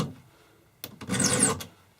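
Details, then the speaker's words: Chainsaw chain depth-gauge filing: a harsh, skipping scrape like fingernails on a chalkboard as the file is pushed away from the side the raker is on, making the tooth jump; filing toward the raker's side stops the chatter. "And what this does is it keeps that tooth from jumping around. Hear that? That's like fingernails on a chalkboard."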